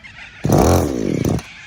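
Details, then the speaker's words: Two-stroke strimmer powerhead after low-speed screw opened, choke off: short rev blip falling back to a faint, barely-there tick-over; idle set too low, and high-speed screw judged slightly too rich. "this needs more idle"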